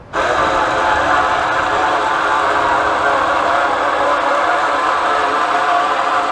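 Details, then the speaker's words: Solera power awning on a Cougar fifth-wheel RV that got stuck and would not retract: a loud, steady, labored electric motor drone as the awning moves much slower; the motor is struggling under load and judged bad, and a Lippert replacement motor is ordered. "can hear the motors really struggling and it's moving much slower"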